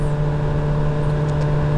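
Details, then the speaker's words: 2017 VW Golf Alltrack (MK7) HVAC blower at max speed: steady loud whirring hum with a hard low drone, motor sometimes switching off or dropping speed; blower motor worn and failing, replaced. "the computer detects that something is wrong, and it'll see there's the noise. Really bad at max speed."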